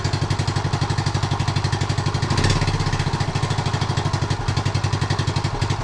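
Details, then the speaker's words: 1976 Honda Z50J1 Monkey with a recently fitted, possibly untuned carb, warming up: a fast, uneven, lumpy idle pulsing about four times a second that sounds awful; rough idle. "Try and get it to idle first. If it will. Sounds awful."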